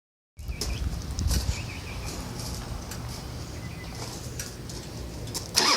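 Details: Harley-Davidson Softail Custom: rough cranking that catches into an uneven, lumpy rumble with a sharp blip near the end; hard starting.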